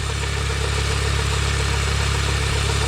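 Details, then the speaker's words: Mini Cooper R50 idling just after a full oil service, with a couple of minutes left for the oil to settle before starting: steady, even low idle with a smooth regular beat and no knocks or ticks; running healthy while checked for leaks. "so it's been a couple of minutes it's now gonna try it fire it up there you go good there's old"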